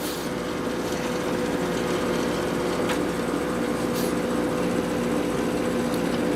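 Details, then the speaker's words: LG 8000 BTU window air conditioner with replaced fan motor and bearings, cool mode at 60: steady fan and compressor hum with faint buzzing rattle; cabinet vibrates, otherwise quiet. "that kind of vibrates but other than that it's pretty quiet"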